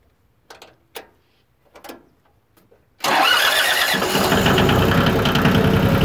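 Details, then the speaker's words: Yanmar YM2310 compact diesel tractor, recently serviced with a new starter, taken out of gear and started: a few light clicks, then it catches at once and settles into a steady, even idle with no knocks or misses; normal start and idle. "It's got a new starter on it. That's what that is there. Go ahead, take it out of gear, start it up."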